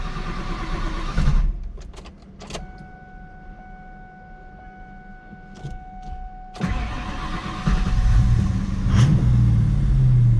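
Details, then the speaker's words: 2003 Mustang built 5.0 V8 with the MAP sensor disconnected, stalling when pulling away on clutch release. It runs, drops to near silence for several seconds, then cranks and catches again. The owner suspects wiring; cause unclear. "I think it's something to do with the wiring. I really think that. And when it die, it does say see like it's really strong but it dies."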